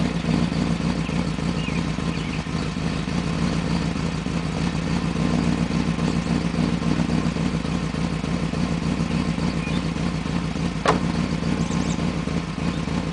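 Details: 1995 BMW 530i after top-end rebuild, uneven lumpy loping idle about three to four pulses a second, running rough due to a vacuum leak.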